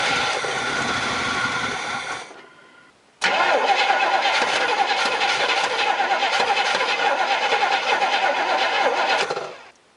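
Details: Crank-no-start on an engine whose fuel was drained after it last ran: two spells of steady cranking at about three and a half beats a second that never catch, as no gas reaches the carburetor; owner unsure if the fuel pump works.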